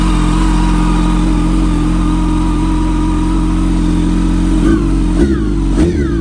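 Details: Wrecked 2006 Yamaha R1, just started after many tries, old tank and broken fuel pump: engine holds steady revs with a thin high supercharger-like whine that wavers on throttle blips; owner suspects the clutch, source unconfirmed.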